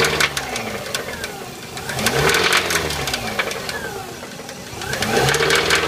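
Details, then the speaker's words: Subaru: rough clattering knock from inside that rises and falls with revs over a strained engine note; cause unknown. "i mean you can hear this weird weird strange noise coming from inside"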